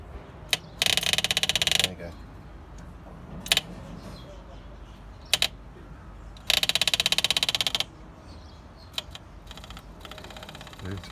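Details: Dodge D300 slant six military truck, long stored, first start attempt: two bursts of fast fine ticking about a second each with quiet between, electric fuel pump priming the line normally.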